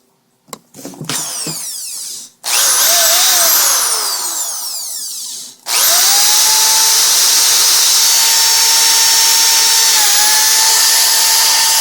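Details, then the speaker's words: Power drill after repair: it had squealed, so the brushes were pulled, sanded and refitted. It now spins up to a steady, even high whir with no squeal on top, and the motor runs normally. "doesn't make that uh noise anymore really from what I can tell Works a heck of a lot better wow"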